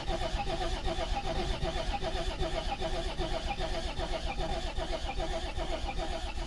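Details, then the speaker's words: Volvo 740 TD diesel sitting about 10 years, new battery, 10-year-old likely contaminated fuel: steady starter cranking about two and a half beats a second, spins freely but never catches; owner suspects old fuel. "Well, this story is not actually a happy ending because it won't start just now. But actually the fact that it turns over and it sounds good, it means that it will start."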